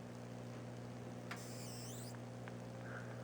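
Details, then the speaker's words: Bertan (Spellman) 205A-05R 5 kV high-voltage power supply on the bench, transformer humming, short faint hiss and crackle as the meter probe nears the positive side reading about 4,360 V; normal probe-contact discharge. "uh you heard that so that's actually uh uh normal because that's the contact of that uh uh probe"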